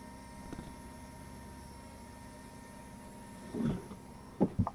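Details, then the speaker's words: 1993 Ford F-250 with a 460 that sat unused for years, key on and engine off: a steady low electric fuel-pump hum never stops after the prime, though it should run only a couple of seconds; the truck also idles very low and goes into limp mode. "so that pump should only run maybe a couple seconds"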